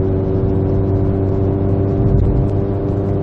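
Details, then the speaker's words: VW GTI on APR Stage 2 tune with APR downpipe and otherwise factory exhaust, in-cabin with windows up, gentle acceleration through 2500–3000 rpm: deep steady exhaust drone between 2800 and 3500 rpm, before resonator fitted. "So then I take it for a drive and I immediately hear the drone between 2800 rpm and 3500 rpm."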